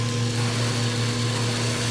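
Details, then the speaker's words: Acrylic centrifugal pump trainer driven by an electric motor through a magnetic coupling, suction valve being closed to 10–14 inches of mercury vacuum: steady motor hum with a faint hissing crackle, the first onset of cavitation. "so here we go closing the Talon and watching the gauge - ten inches of mercury - twelve as 14 you could start to hear flashing occur there"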